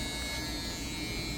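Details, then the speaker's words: Dodge D100/D150 truck with 440 engine swap and harness swap, PCM deleted: heater blower motor gives a steady even electric whir, constant pitch, no ticking or scraping, working now that its ground is hooked up. "The blower motor is working now that that ground's hooked up."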